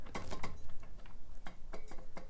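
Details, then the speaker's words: Bicycle rear wheel makes irregular dry metallic clicks and clanks in small clusters as it turns; the cassette cogs have loosened and the cassette moves on the hub, fixed by tightening with a cassette lockring tool. "it'll be sort of a metallic clank or a rattle and and you can it's usually accompanied by sloppy shifting because what's going on is the cassette cogs have loosened up they're not tight anymore"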